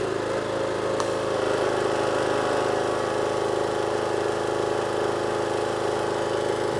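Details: Power washer/jet wash small single-cylinder engine that previously would only run on choke. With water supply on after the fix it now runs off choke with a steady, even beat and no surging or hunting. Normal running.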